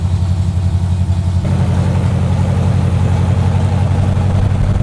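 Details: 1970 Corvette, freshly rebuilt V8 with AFR heads, Clay Smith cam, hydraulic roller lifters, Harland Sharp 1.5 rockers and new headers, first run after six months: deep steady rumble, slightly lopey cam beat settling into even idle; normal idle.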